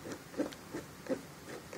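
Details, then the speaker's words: Kicker CVX subwoofer burned by a Power Acoustik BAMF-5500 amp run at 1 ohm, which was not stable: rhythmic raspy scraping bursts about every third of a second as the cone moves. "this one doesn't even move at all and I took a look at the voice coils to the vent take a look of through the voice coils through here they're completely destroyed"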